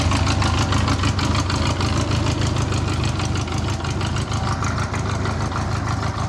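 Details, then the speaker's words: 1984 Honda Goldwing, started cold without any warm-up: an even, quick pulse of about three per second over a deep, steady rumble; normal cold idle. "okay so here's there's the bike running it's cold i haven't warmed it up at all"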